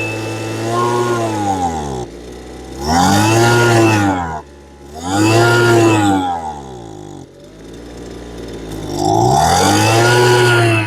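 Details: Lesco LHB 2500 handheld leaf blower before tuning, which bogs and won't rev: the two-stroke buzz climbs on each throttle blip, then sags without reaching full revs. The owner tends to run a rich oil mix, so the muffler screen is checked; lean high-speed fuel starvation.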